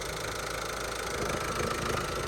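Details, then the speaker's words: Salvage-auction car with 121,273 miles, jump-started from dead and showing an engine fault warning: a steady diesel idle with a fast, light rattle, cause not pinned down, otherwise ticking over nicely. "We got it running. That's rattling. That's obviously that's what that's rattling there. But apart from that, it's actually ticking over quite nicely."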